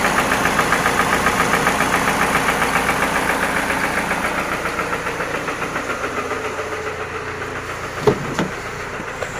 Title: What Is This BAD Knocking Sound In Toyota Prado 2TR-FE Engine 2.7L